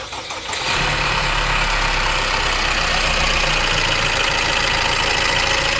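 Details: Opel Insignia petrol engine at 184,000 km, idling after start with a metallic timing chain rattle at about four beats a second; fault codes are read with a scan tool before disassembly.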